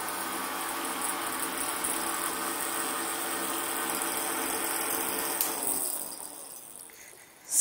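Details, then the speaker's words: Bank of many roughly 50 dB fans on DC motor and power supply: loud roar with scratchy rattle as mass of loose wires behind gets sucked into blades, then powers down and winds away. "I don't know if you could hear that rattling or not but uh the way have it hooked up there's a big mass of wires in the back and uh they get sucked into the blades frequently"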